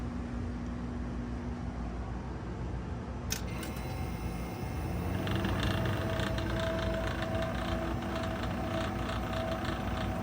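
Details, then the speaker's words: Vintage Electrohome dehumidifier recharged with propane (R600a) replacing flat R12: after switch-on a steady whirring hum with rough, rattly edge; fan motor noisy, replacement already purchased. "The fan is quite noisy on it. I have picked up a new fan motor for it."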